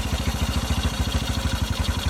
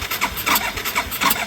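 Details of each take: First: 1981 Yamaha SR185 single-cylinder after replacing faulty TCI with Ignitech, aftermarket carb, choke off: even low putter about seven beats a second, no misfires; clean idle, previously bogged and backfired from weak spark. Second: 1981 Yamaha SR185 single-cylinder, original TCI, no choke: cranking with uneven sputters and a sharp pop, never catching; backfire from weak spark due to faulty original TCI ignition box, before Ignitech replacement.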